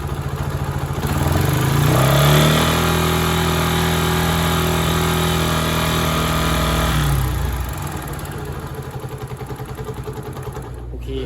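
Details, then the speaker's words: Honda Sonic single-cylinder engine, just rebuilt with new cylinder block and piston rings, revved and held high: hard steady metallic knock, quiet at low rpm and much louder at high rpm, not cured by valve adjustment; piston and rings striking the cylinder head. "โอเคกับปัญหาของHondaSonicเราตรวจพบความเสียหายเกิดขึ้นจากลูกสูบแหวนไปปะทะกันกับฝาสูบนะครับ"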